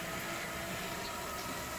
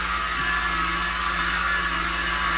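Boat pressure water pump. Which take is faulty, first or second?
second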